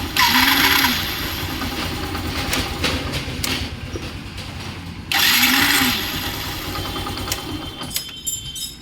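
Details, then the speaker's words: Saluto motorcycle starter (self-start) motor, two cranking bursts with a harsh, high whirring grind; the starter bearing's grease has dried out from heat, causing the noise. "এই স্যালোটের গাড়িটার প্রবলেমটা ছিল self মারলে যে আওয়াজটা শোনালাম, তো এই আওয়াজটা সেলফ মারলে হচ্ছে। তো কেন হচ্ছে সেলফের এই আওয়াজটা, চলো দেখে নেওয়া যাক।"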